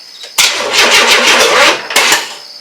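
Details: 1994 Chevrolet S10 4.3L early Vortec, first crank after engine install: two short bursts of fast starter chatter with no firing; the starter sticks and the battery is dying. Cranks but won't start, cause not confirmed.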